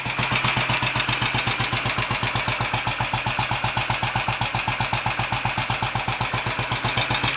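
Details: Royal Enfield 500 Bullet idling while warming up after first start following top-end tuning (ported head, high-compression piston, new guides, retarded inlet cam timing); steady even thumping about four beats a second, crisp exhaust pops, no odd noises, idling cleanly.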